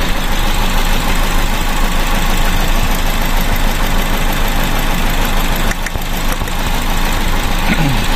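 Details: Car with a misfire after new spark plugs were fitted: lumpy, uneven idle with irregular stumbles and a dip partway through, a cylinder misfiring because two plug leads were swapped against the 1-3-4-2 firing order.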